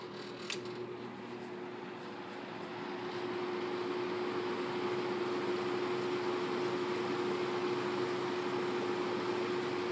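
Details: May 1985 Kmart 20" box fan model K-223 with McMillan motor, on medium speed; smooth steady whoosh of air with even hum, no ticking or rattling; running fine.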